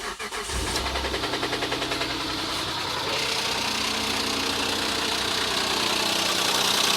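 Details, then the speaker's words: 2007 Mitsubishi Endeavor 3.8 V6, 195,000 miles: starts and idles with a sharp metallic knock and ping about three times a second, not constant; owner suspects rod knock or the never-changed hydraulic timing belt tensioner. "my buddy because it sounds like it's got a rod knocking but I've seen several videos where it's the timing belt tensioner the hydraulic belt tensioner that's gone bad and it causes almost the identical same racket but mine seems to have more of a metallic ping to it"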